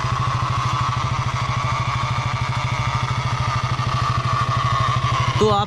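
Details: Brand-new KTM single-cylinder, 25 days old: idle with a steady thumping knock about three per second under the exhaust beat, coming from the engine; abnormal noise, cause undetermined, service center to identify it.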